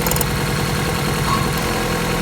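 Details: Opel Corsa 1.4 16-valve petrol idling evenly with a steady low hum and no misses after the repair for misfiring.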